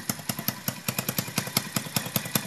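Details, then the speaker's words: Motorcycle with a newly fitted DBS exhaust pipe, not yet mounted underneath, at idle: sharp, crackly puffs about five to six a second from an exhaust leak at a pipe joint where the screw fell out, changing the sound. "So natanggal pala yung tornilyo natin dito, kaya pala nag-iba yung tunog."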